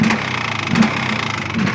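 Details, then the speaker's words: Polaris Xplorer 400 two-stroke quad, cold just after first start after nearly 2 years sitting on old fuel: idle sags and picks up unevenly, won't hold steady; owner suspects choke shut off too early, idle turned up, smoking. "now doesn't want to idle I guess have to uh put back on the choke I shut off the choke way too early I got turned up dle too by the sounds of"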